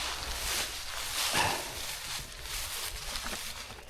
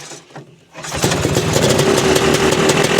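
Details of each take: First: Vintage two-stroke snowmobile with fuel dribbling from the carb, after a new spark plug: loud, raspy, sputtering uneven running while spitting lots of fuel; rich running, owner suspects carb problem needing rebuild or the jet fitted. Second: Vintage two-stroke snowmobile with a rebuilt carburetor, at a fall shakedown: quiet cranking, then it catches under a second in and settles into a crisp, steady idle; runs well, normal start and idle.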